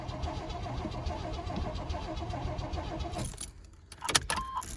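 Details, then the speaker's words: 1993 Chevy S10 2.8L with stalling and now no start after new cap and rotor, cold: slow, dragging uneven crank for about three seconds then clicks and stalls; battery too discharged from repeated start attempts. "so i don't have enough battery to start this so this thing's a little bit deader than what i thought it was"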